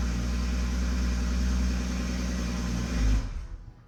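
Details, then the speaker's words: Toyota MKV Supra with rebuilt engine after the fix, now holding fuel pressure on startup: deep even exhaust rumble with a brief rev before shutting off; no stumble, the misfire is gone and it runs smoothly. "Magically, the misfire went away. So our loss of fuel pressure on startup was gone. It's maintaining fuel pressure. And now the misfire was gone and the engine runs perfectly smooth."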